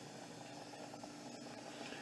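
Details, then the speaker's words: Nesco electric pressure canner during its 10-minute exhaust countdown: low-pressure exhaust valve closed and sealed, steam venting from the open exhaust to push the air out; soft steady rushing hiss with faint bubbling, normal steam venting. "My exhaust is open. And it will build up or let that steam out for 10 minutes so it steams real good. That's pushing the air out."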